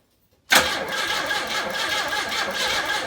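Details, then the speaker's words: 1984 Pontiac Fiero, fuel injected, rescued from junk, will-it-start attempt: starter spins it, a few uneven firings but never settles into idle, same as before; cranks but won't start, owner suspects mechanical issues or timing. "unfortunately this is about exactly what it was doing before it'll fire but it won't snort enough to fire up cuz why would it that would be too easy"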